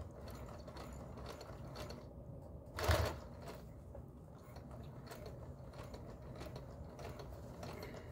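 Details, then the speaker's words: Singer 431G with internal motor converted to low voltage, sewing through six to eight layers of denim over seams; quiet, even mechanical chatter with one brief thump, no labouring; normal sewing under load. "we'll be going through some eight layers of denim in some places across seams and I just wanted to show you how well it works"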